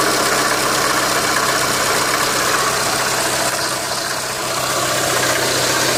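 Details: Renault Megane 2 at idle: rough, fairly regular tapping around four per second riding over the engine note; engine knock.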